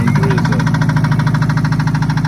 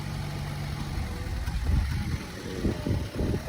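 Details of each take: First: 2003 Subaru Impreza manual, jump-started at idle: fast, even ticking knock at about seven beats per second, and an apparent exhaust issue; engine knocking, cause unclear. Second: 2014 Chevrolet Cruze started with jump box: low, soft, steady idle with no knocks or ticks; very quiet normal idle.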